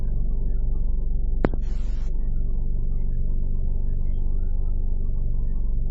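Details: 2009 Ford Focus 2.0L 4-cylinder automatic, about 45,000 miles, idling: low deep idle with an irregular throb of about three pulses a second instead of running smooth. Rough idle.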